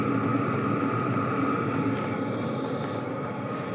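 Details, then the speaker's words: Portable diesel tent heater running after start-up, near the exhaust: steady rushing fan and burner roar with a faint hum and light regular ticking about four a second; still clicking but much quieter now, running normally. "see it's not too loud I can still hear the clicking but it's gotten a lot quieter this thing's going to be sick"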